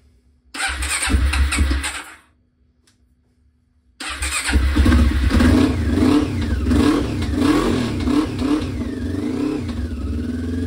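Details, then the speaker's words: 1996 Honda CB500 twin, not run in over six years, first start: catches, dies after a second, restarts and revs with lumpy, hollow, uneven beat; definitely running on only one cylinder; vacuum leaks noted before starting. "we're definitely only running on one but that's fine that's why you've got two cuz one's a spare"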